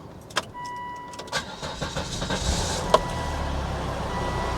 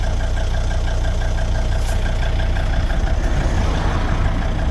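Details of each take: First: 2003 Volvo XC90 D5 diesel, started after fitting new mount: clicks, crank, then steady even diesel idle; feels normal for a D5, though a chugging that stops when something is switched off remains. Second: 2003 Volvo XC90 D5 diesel at idle after all engine mounts replaced: deep even drumming rumble through the body, steering wheel shimmering at engine-cover frequency; no damping, vibration apparently sent straight into the subframe by wrong, stiffer torque mount.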